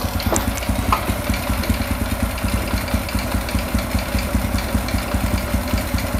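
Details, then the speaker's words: Honda Revo 100 bored up to 110cc, cold idle: light tick two or three per second over a steady single-cylinder idle, disappears when hot; said not from head or block, cause unknown. "sini ada suara tek tek tag tapi ini bukan berasal dari head atau bloknya ya ini memang awalnya sudah bunyi ini belum ketemu penyakitnya apa tapi bukan berasal dari rubahan piston kc-nya ya ini anehnya kalau sudah panas hilang suaranya"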